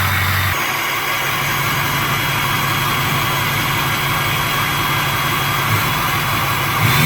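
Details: 6.0 Powerstroke diesel after replacing the number 8 injector to cure excessive smoke and refilling the high-pressure oil system: steady, even idle with a smooth low clatter and no misfire. Normal idle.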